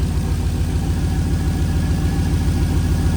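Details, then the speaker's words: 1937 Nash coupe, 6.0 Vortec V8, just after fitting 58 lb/hr injectors, idle raised to 700–800 rpm: low, lumpy idle with an uneven chuff and persistent vibration. One bank misfiring. "but it still seems to have a vibration to it maybe that's just what I'm going to have to live with"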